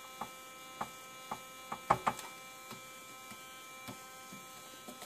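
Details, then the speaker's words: Keithley Instruments model 104 wideband amplifier giving a steady mains buzz with a stack of high, even tones, broken by sharp clicks when the chassis is touched. The owner suspects a transistor; source unconfirmed. "hat sounds like a normal something that's that's the normal noise it makes"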